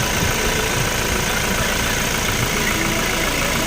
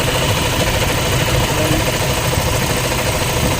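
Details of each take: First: Toyota Fortuner diesel at steady idle: even clatter with no whirring or helicopter-like drone from the front alternator area, where a worn alternator bearing would be heard; idling normally. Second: Toyota Fortuner with 2GD diesel engine at idle: steady churning, helicopter-like whir over the clatter from a worn alternator bearing, now dry and wobbling; it may affect charging, and the alternator bearings are to be replaced.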